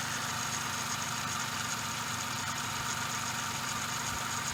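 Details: Suzuki Every DA64V engine at idle: steady gritty hissing rush with a faint rolling rumble ("gorogoro") underneath; belt tensioner bearing noise, possibly from lack of grease.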